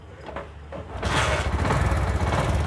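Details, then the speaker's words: CD 70 motorcycle before timing chain replacement, engine running: a busy, fast metallic rattle rides over the single-cylinder beat, a worn, slack timing chain making excessive noise that is very bothersome when riding. "सबसे पहले मैं इस की आवाज आपको check करवा देता हूं टाइट करके इसकी क्या आवाज है कि बहुत ही ज्यादा फेयर करती है"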